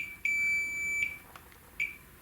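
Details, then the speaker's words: Multimeter continuity check on a dead 25" K7000 arcade monitor chassis with arcing flyback damage: a few short high-pitched beeps as both probes touch the same trace; nearby vertical deflection components judged undamaged. "there we go I was hitting the same Trace there so all right looks like we looked out there uh did not take out those components so should be okay"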